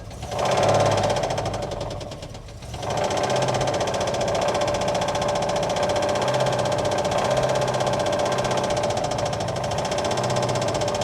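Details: 1959 Oldsmobile 98 coupe, first start after shipment, fed from gas can: rough uneven idle with rapid knocking about four beats a second, sounds super dry and unhappy; cause not confirmed, smoke off the manifold likely from spilled power steering fluid.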